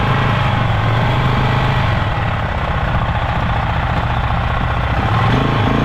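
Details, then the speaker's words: Polaris Sportsman 500 single after top-end rebuild, test ride: steady run with a loose, busy rattle over the exhaust beat; runs with power, clatter cause unknown, owner may check CVT clutch. "well it goes it's got power it seems to be running good but I got this crazy like clattering noise coming from the motor"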